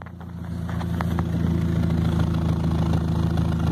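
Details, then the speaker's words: 2000 Pontiac Sunfire at idle, before repair: loud low drone with rough puffing chuff building as it settles, from holes in the exhaust Y-pipe, to be patched with J-B Weld SteelStik and studs. "Et en même temps, je vais vous montrer le bruit qu'il fait. Donc un joli son de canisse défoncé."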